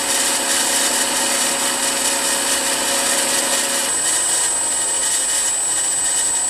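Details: Milling machine M head after new pulley-housing bearings, on highest pulley speed: steady high whirr with smooth hiss, no grinding or rumble; spindle bearings quiet and sound.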